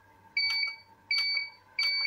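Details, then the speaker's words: Visatec Logos 1600 monoblock studio flash after repair of Error A2 (not firing): three identical high, clean beeps about 0.7 s apart as it fires and goes straight to ready, a normal ready signal with no fault. "Nah, dia langsung ready gitu ya."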